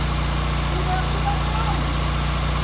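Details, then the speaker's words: 1275 Austin Maestro, 40,000 miles, first start after sitting 19 years on a frosty morning, oil pressure apparently showing: low, even four-cylinder idle, no misfires or tapping; running sweet, carb rebuild still suspected needed. "Oh yeah, that's running sweet though."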